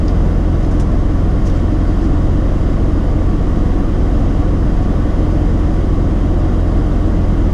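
Heavy low rumble with an uneven, lumpy beat around two to three pulses a second; warm rotary misfiring at idle, injectors wired wrong.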